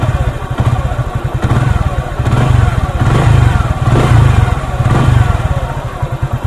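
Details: Motorcycle single after adjusting and tightening the timing chain tensioner, with throttle blips: thumping rises and falls with no obvious chain rattle over the exhaust beat. Cam chain tension is now fine.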